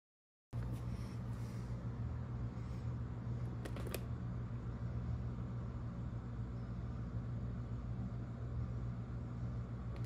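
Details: Garbage disposal running after it was cleared: low, steady motor hum with no grinding, clanking or stalling, spinning freely and running normally.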